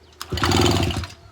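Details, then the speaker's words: Old two-stroke moped under restoration, in first gear, with old black fuel mix still in the tank: one quick kickstart spins the engine through a short burst of rapid compression chuffs, then it stops without firing; turns over. "So if you kick it back and stomp on it, you'll hear it turn"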